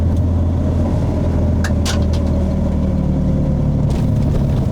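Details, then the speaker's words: BMW E36 swapped from automatic to manual, pulling away during a 0-60 run: steady low engine drone with a few sharp knocks around two and four seconds; the source is unidentified. "I don't know what the [ __ ] that was."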